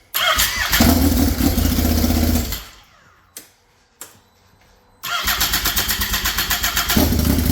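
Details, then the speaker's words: Polaris RZR XP with swapped-in Yamaha Nytro triple engine, straight-piped with no exhaust, first start after rewiring: loud, crisp, even pulsing that catches and settles into a steady idle; normal idle. "I kind of like the sound of it you know it's not super loud being straight piped it sounds awesome yes it does"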